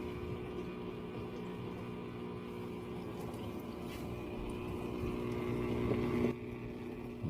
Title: If your dishwasher is making a buzzing sound, this may be the problem.